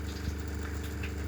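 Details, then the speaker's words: RV fresh-water pump, heard as it starts running: a low steady hum with a faint pulsing buzz and no rattle or chatter. It runs quietly and evenly, and the owner says it would be insignificant with the cover and mattress in place. "this is the nose you're gonna hear right here but if you have them this cover this cover on and your mattress and everything else that ways will be basically insignificant"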